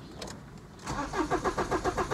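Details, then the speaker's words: Audi A4 convertible diesel, intermittent running fault: started earlier off the truck but five minutes later won't start; starter cranks in even pulses about five a second, never fires. Owner suspects injectors shorting or in-tank fuel pump; cause unconfirmed. "it started just now to get it off the back of the truck but i've just come back to it five minutes later and now it won't start"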